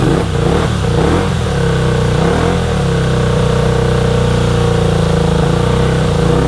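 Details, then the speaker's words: 1983 Honda VT250 V-twin, 63,500 km: steady even twin beat at idle with clean throttle blips, no knocks or rattles; runs like new despite mileage, needs tune-up and clean. "so i am calling that a big success this thing runs awesome for a 250."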